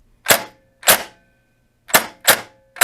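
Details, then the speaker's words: Airsoft P90 with Perun P90 MOSFET, DSG gear, 11.1V LiPo, drawing 28.5 A, semi-auto shots; sharp single-sounding cracks, but cycling so fast it actually double-shoots in semi; owner first suspected overspin. "it's cycling so fast that it is struggling to shoot one round in the semi, but because we're using the 52K, it sounds like one round, but it's actually double shooting in semi."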